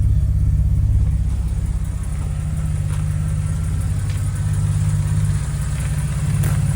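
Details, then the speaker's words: Jaguar XK140 cold start, water temperature at zero: fires right up, low steady even idle burble with low rpm, no knocks or stumbles; idling smoothly and healthy. "Fires right up every time. It's unbelievable how nice this thing starts. As you see, idling beautifully."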